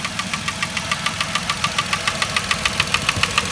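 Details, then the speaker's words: 2010 Vauxhall Corsa 1.0 Ecoflex three-cylinder replacement engine at idle: sharp even tapping 3–4 per second, sounding like big-end knock, actually worn ECU-vacuum-controlled swirl flaps rattling in the inlet manifold. "I'm sure I'll be able to hear it but that is a distinct engine tap"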